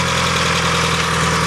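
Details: Mazda Miata engine at idle: dull, even knock under the exhaust note keeping pace with the engine, sounding like a bottom-end knock; suspected rod knock, not confirmed.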